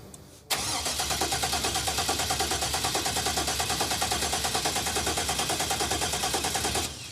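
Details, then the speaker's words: Aftermarket-ECM engine with hot-wired fuel relay that clicks: starter cranks steadily at about three beats a second for six seconds, engine never catches, no fuel pump whine; pump heard earlier with empty tank but not pumping now; crank no start. "that's disappointing I never heard it pump you heard it earlier though I heard it earlier when there was no gas in the tank but now I don't hear it the pump's not pumping"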